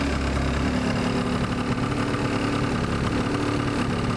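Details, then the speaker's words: 2004 Yamaha Zuma scooter, about 4,190 miles, just started: quiet, steady single-cylinder putter with no knocks or rattles; fires right up, normal idle. "anyway fires right up as you can hear very quiet"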